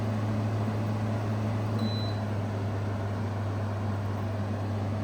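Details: 2016 Arctic King 5000 BTU window air conditioner, model WWK05CR61N, fan only on medium drawing about 0.475 A, 58.7–60.8 W: smooth, even low hum with steady airflow rush, no rattles or wobble; healthy fan.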